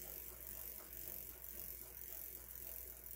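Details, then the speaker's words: Huffy Trail Runner full-suspension bike freewheel after fixing, without opening it: soft, light pawl ticking at a relaxed spin; the earlier popcorn-like popping is gone, smooth and quiet. "and so if you listen now there's nothing like it's super quiet"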